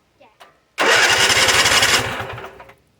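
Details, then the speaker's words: Free Weed Eater tractor, Tecumseh TVT691 two-cylinder, after oiling cylinders, oil and filter change, spark plugs back in, no fuel yet: starter cranks quickly and evenly, about three and a half beats a second, no binding. Normal cranking. "That's a good sign. >> That's a really good sign, actually."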